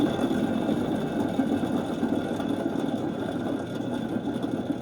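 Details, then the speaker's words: Bad Boy mower deck spindle, about 6.5 years old, before rebuild: steady buzzing rattle with a rough, gritty edge, no engine rumble. Worn pressed-in spindle bearings; a replaced spindle runs silent. "So this is kind of what they all sound like right now."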